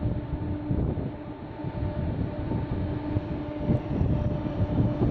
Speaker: now I believe it is some sort of fan that's being turned on this noise goes on for hours in the middle of the night